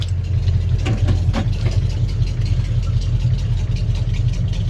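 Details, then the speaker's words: Old Ford F100 with a 3-speed, in neutral, after a new distributor, coil, plugs, wires and valve cover gaskets: it fires first turn and settles into a deep, steady, smooth V8 idle with no misses or knocks. Far better than it ran when bought. "Now you can hear how just smooth she runs. I can't believe the way this truck ran when I got it."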